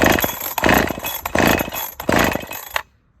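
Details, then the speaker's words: Holtzfforma 372 chainsaw with big bore kit, heavy porting and squish set at 30 thou: revs surge raggedly about every two-thirds second then cut out; something failed, cylinder bolts suspected blown out, cylinder rattling. "well something just failed can you hear"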